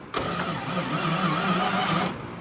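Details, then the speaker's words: V8 Chevy in a Curtiss P6E replica biplane, unrun for 22 years, cranked after more cable paths were added. Two seconds of slow, even starter drone with no catch; better, but still too slow. The starter also fails to retract. "Still should have spun faster than that if I'm honest. But it might be fast enough for it to take a hit and then fire up."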